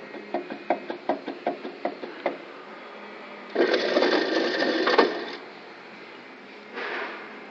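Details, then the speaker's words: GMC Safari/Astro van with wheel and caliper removed, hub rocked by hand: quick metallic clunks about four a second as the whole hub moves, not the rotor on the hub. Very bad wheel bearing; hub assembly replaced. "and that's not the rotor moving on the Hub that's the whole Hub moving"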